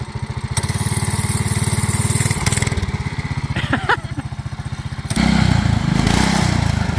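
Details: MaXpeedingrods 7HP 212cc engine with centrifugal clutch repowering a John Deere 110, driving in fourth gear: steady quick single-cylinder thump dipping briefly as load comes on, then pulling back strong and even; healthy new engine.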